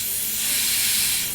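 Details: Iwata LPH 80 spray gun with air supplied and trigger untouched: steady, sharp hiss of air leaking around the trigger area, caused by a worn fluid adjustment guide set. Fixed by replacing the guide set (part 939-36880).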